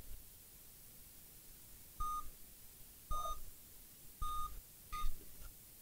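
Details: Dell Inspiron N5010 (P10F) with no picture, back over a year after a graphics/motherboard repair: short, clear mid-pitched beeps about once a second, forming an eight-beep code that indicates a graphics fault.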